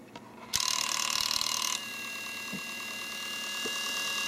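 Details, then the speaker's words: Wii console, case off, kept ejecting discs: at power-on the dusty disc drive's small gear mechanism chatters with fast uneven ratcheting, disc not drawn fully in and not spinning. Faulty disc drive loading mechanism; drive later replaced. "so that noise is definitely coming from over here the little gear mechanism there"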